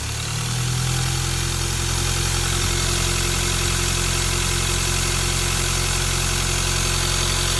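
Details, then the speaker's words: Ford Ranger T6 diesel after fitting a modified turbo (new centre housing, shaft, billet 9-blade compressor wheel, turbine wheel, high-speed balanced): revved and idling smoothly with a low rumble. The turbo howl is gone. "ก็จะสังเกตุว่าเสียงลมหอนหายไปแล้วนะไม่มีเสียงหอแล้วตอนนี้จะบอกไม่มีเสียงขอแล้วนะ"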